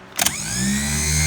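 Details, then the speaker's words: Starter for a 1955 Chevy Bel Air inline six, bench-tested with a hot wire to the solenoid and grounded on the starter; sharp clack then a strong steady whir that climbs quickly and holds, so it spins freely with good torque. "Now Mr. Jesse, go ahead and bump us over here. Oh yeah, we got some torque now."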